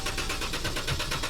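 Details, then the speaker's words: Pentastar engine with 200,000 miles: the starter spins it at a steady whirring rhythm but it never catches, cranking with no start; the owner suspects a fuel-related cause, not confirmed. "it just sits and turns over."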